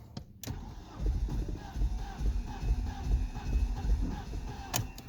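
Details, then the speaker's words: 2002 BMW E46 316 with N42 engine, cold morning, crank attempt 20: slow rhythmic pulses a bit over two per second, trying to fire but not catching. It finally starts on try 22. Owner reports no compression when cold. "Hope you can hear the sound while she's trying to light. Try number 20."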